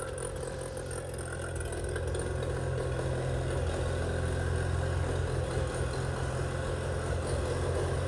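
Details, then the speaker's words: 25hp Mercury outboard after carb rebuild (junk in carburetor), new fuel pump parts and spark plugs, previously idling badly: settles into steady even low drone, no stumbling or surging, runs on its own; normal idle. "It was one of those deals where I had to take the carb off, took the carb off, rebuilt the carb, and put new fuel pump stuff in it. And away it goes."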